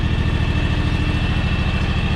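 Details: 15+ year old, high-hours John Deere X729 lawn tractor before service, warming up for an oil change: steady low idle with uneven pulse, beats dropping out; missing at idle, owner suspects a clogged carburetor.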